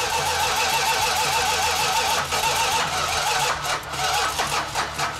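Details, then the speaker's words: 1969½ Dodge Super Bee A12 440 Six Pack, after the fuel lines and carb fittings were tightened: several seconds of steady cranking, then the note roughens as it tries to catch. It eventually leaned out and fired. Extended cranking before start. "Just kept cranking on it, and eventually it leaned out and fired right up and ran good."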